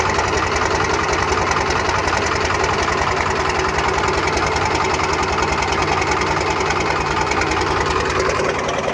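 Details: Cummins 12 valve diesel, rebuilt .040 over, timing ~16°, injection pump replaced ~20k ago: lumpy clattering idle stumbling irregularly, misfire; worse after a few minutes running, eventually dies; fuel filter, strainer, lift pump, overflow valve, governor springs replaced; cause unconfirmed.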